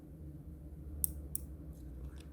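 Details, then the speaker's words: Sony Ericsson T280i phone: two sharp, light clicks as the old battery is pressed down, the battery contact pins clicking out of place when they should stay put; phone works only briefly. "you can hear them clicking out that's not what it should do [Music] they should remain clicked I mean not they shouldn't click when you put the battery"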